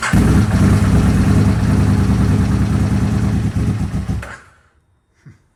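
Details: 2002 Aprilia RSV V-twin after fresh oil and filter change: deep, even thump holds steady for about four seconds, then shuts off cleanly; healthy idle.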